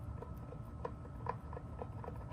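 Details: 44-year-old Jeep Cherokee Chief FSJ (AMC 360) driveshaft u-joint flexed by hand: dry, irregular clicks a few per second; needle bearings worn flat, caused reverse-shift clunk and vibration; being replaced.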